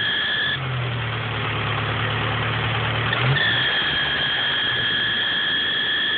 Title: ep3 squeaky sound pulley or belt or...